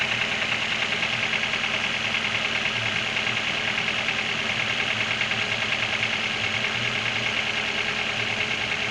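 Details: Internal engine knock: sharp, fairly regular tapping two or three a second over a steady idle; cause suspected but not confirmed.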